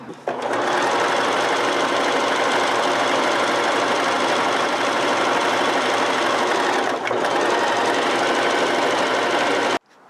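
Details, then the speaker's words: Oiled, threaded sewing machine switched to zigzag on the same single fabric layer: even, rapid stitching chatter at about three stitches a second, steady pace and tone; sewing normally. "So there is a steady sound of the fabric because I'm using the same fabric and the same layer."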